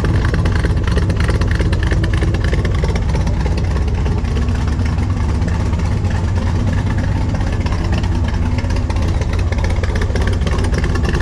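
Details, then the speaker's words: 1965 Chevrolet Corvette L79 327/350 V8, engine rebuilt 2018, 77,000 miles, warming up in neutral through open side pipes: a deep, steady rumble firing evenly with no misses, knocks or ticks. A normal idle that sounds just as it should. "It sounds just as it should."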